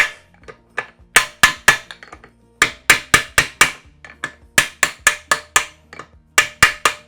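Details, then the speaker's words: Classic Mini straight-cut race gearbox, main shaft bearing being tapped across inner and outer races into the housing (sliding fit, not press fit): sharp, evenly spaced hammer taps in groups of three or four, the ringing note changing and firming up as the bearing seats fully. "There we go, hear that noise change."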